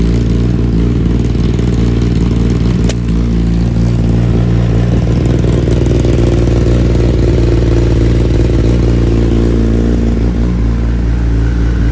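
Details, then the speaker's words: 2020 Kawasaki ZX10R rebuild, newly fitted slip-on exhaust, stock ECU tune; loud lumpy idle with crackle and flames, burning a lot of fuel; owner suspects it needs a tune; low-rpm breakup. "I think a bike might need a tune now with the ECU having that exhaust like that because it breaks up a little bit in low RPMs"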